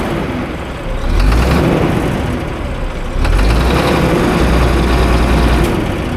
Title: Here Is What Diesel Injector Knock Sounds Like